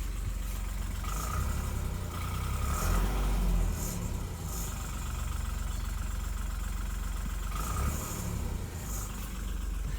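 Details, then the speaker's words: New 2020/2021 Vauxhall (Opel) Insignia diesel just after start-up; light irregular rattle over the low engine note, possibly a one-off; start-up rattle, cause not clear. "it's got a rattle when you start it up as a rattled here and uh quite annoying"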